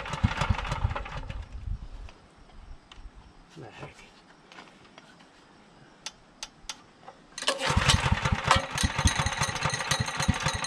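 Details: Generator with aftermarket gas tank, choke at half, load removed: fires briefly, dies to near silence, then restarts in a rough burst; hard starting and won't stay running, cause unclear.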